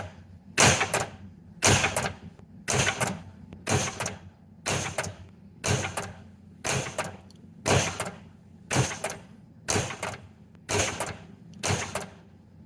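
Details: JJP pinball machine after upgrading the driver board to bigger capacitors, 71 V flipper voltage, both flippers tested: sharp clacks about once a second with a quick snap and rattle in a quiet room; flippers firing cleanly and strongly, flipping better.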